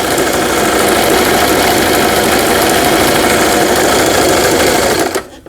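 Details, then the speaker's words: Brother XL5500 sewing machine after repair (damaged half-moon bobbin case, timing and faulty forward/reverse button fixed), sewing overlock stitch pattern 12: fast, even needle and feed chatter about three stitches a second, no knocks or grinding; runs normally. "이 옷감의 가장자리가 풀리지 않도록 해주는 기능이죠. 수리가 잘 돼서 이 기능도 정상 작동되고 있습니다."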